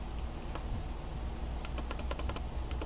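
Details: Known-good Omron G8HL-H71 relay from a 2005 Honda Accord V6 A/C circuit, bench-tested on a 12 V DC supply. Crisp, alike clicks in quick bursts as it pulls in and drops out; it switches normally (the bad one showed terminal corrosion).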